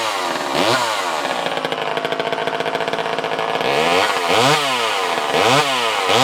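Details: Vintage Craftsman 2.1A two-stroke chainsaw, no broken cases, damage or repairs: repeated revs with clean, crisp pickup and a steady idle in between. Normal running.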